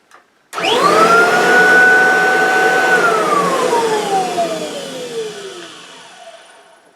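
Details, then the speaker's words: Kirby vacuum motor run with the belt disengaged. It spins up to a clean, steady whine and coasts down evenly with no rattle or knock, so the motor sounds healthy. The separate rattling is suspected to come from the brush roll. "so that motor to my untrained Cirby ears sounds okay"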